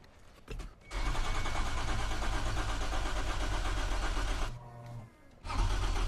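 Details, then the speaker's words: Toyota 2GR-FE V6 swapped into MR2 SW20, first start attempt without coolant: starter cranks about four beats a second, pauses, cranks again, never catching; crank rpm seen, no faults, fuel not reaching engine, too little fuel in tank. "all right I would have expected start by now so let's run through some diagnostic"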